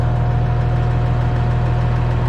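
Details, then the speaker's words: Tractor, still cold, driven along the driveway after tie rod and front end work: steady low diesel drone with no knocks, misses or surging; muffler sounds good and it runs smooth, normal idle. "still cold but she's running good steering seems good after I did the tie rods and did the front end think the muffler sounds good this thing runs smooth as can be"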